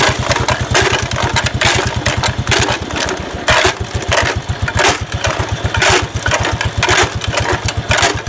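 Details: 1969 Locke reel mower single-cylinder engine, long stored in a barn, running with no load: fast, steady, rapid even firing pulses; speed set too high.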